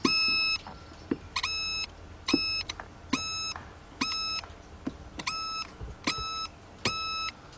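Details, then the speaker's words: Fuse continuity check on a BMW 5-series (E39, 525i/528i/530i/540i) that cranks but won't start with no dash lights; car has water and corrosion inside; eight crisp beeps about one per second as fuses are probed, all showing continuity, fuses good. "Okay, fuses are good."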